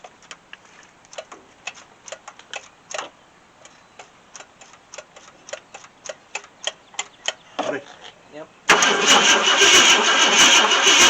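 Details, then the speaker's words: 1966 Ford Thunderbird 390 FE V8, unregistered since 2009, new Street Demon carburetor primed with fuel: long uneven cranking about three turns a second with no catch, then loud hiss; weak, intermittent spark. "check that spark again because it sounds like it's not getting sparked we all spark now i see it it comes and goes"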